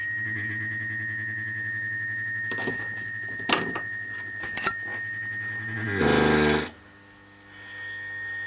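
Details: Mid-1930s vacuum tube radio, tuned across stations: constant high whistle near two kilohertz under hiss and thumps; oscillation and distortion, owner suspects bad capacitors, not confirmed.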